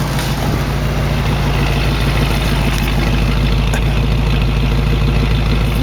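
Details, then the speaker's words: 1968 AMC AMX 401 V8 after replacing a worn lifter on cylinder 2 (miss fixed), running on all 8 cylinders, timing not yet set: deep, steady idle with even beat, no ticking, misfire or hunting; normal idle. "sounds good it's not wiggling or anything i just don't have the timing good right"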